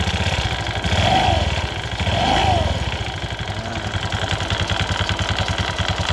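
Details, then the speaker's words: Honda Vario FI 110 scooter idling with CVT cover removed, rough-engine complaint: fast, uneven, harsh dry clattering rattle from worn CVT rollers and roller housing in the pulley. "Nah, seperti ini teman-teman suaranya kotak-kotak kotak seperti itu."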